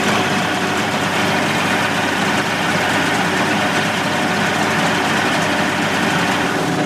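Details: 1988 Mercury 70 hp inline three-cylinder two-stroke outboard in a test tank after carburetor work, air silencer cover off. Dense, even idle with a steady buzz and no misses or stumbles; firing on all three. Normal idle.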